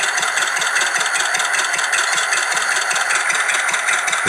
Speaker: As soon as the engine starts, turn the mixture control wheel clockwise to the normal setting, and then you'll hear it. This is exactly how it sounds. So it's got it on the power stroke.